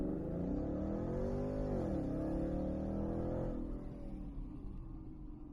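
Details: 2012 Mustang GT test run after replacing all eight spark plugs: a clean blip that rises smoothly, falls back and settles into a steady idle with no misfire or stumble; running healthy.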